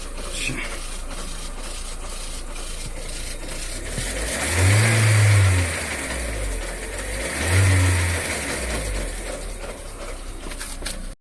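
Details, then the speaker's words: Lada Vesta NG at 70,000 km: idling engine blipped twice, a whistling, hissing whir swells louder with throttle; timing belt looked intact but was found damaged once removed. "Сначала засвистел. Сейчас покажу какие звуки. Вот так, короче, визуально всё целое, слушай. А газу даёшь, сильнее слышно."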